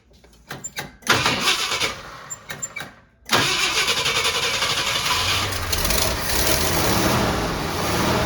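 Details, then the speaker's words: 1966 Ford Thunderbird, started with two-stroke fuel poured down the carb, cranks, catches, then runs ragged with surging as if fuel-starved. Vacuum leak at the reused thick carb base gasket, confirmed with carb cleaner; a new gasket is planned. "I figured out what's going on here. You can't reuse those big, thick gaskets. I sprayed carb cleaner around the gasket, and it surges."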